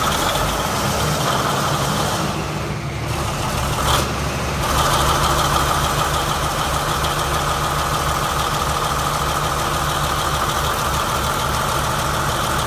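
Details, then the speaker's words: 2017 Marathon 2250 kW MTU diesel standby genset, 1800 rpm, 60 Hz, about 3 hours runtime, temporary diesel tank and new batteries: starter cranks, engine catches and settles into a smooth, even rumble with no knocks; normal idle. "Checked it out. Everything seems to be normal and running properly."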